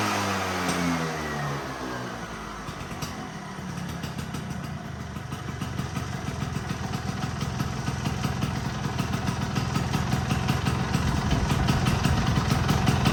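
Two-stroke settles into a steady buzzing run and then climbs smoothly in revs with no misfire or stumble, running healthy.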